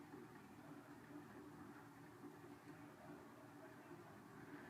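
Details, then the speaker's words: 1990 Heritage Spector 36" ceiling fan on low, downdraft, slowly spinning up: quiet low hum with a faint repeating rough rub. The motor had seized and its bearings are now shot, so it is noisy; oiling made no difference. Weak motor, slow to speed up. "takes it a long time to speed up it's got a pretty weak motor but it does run well although it is noisy"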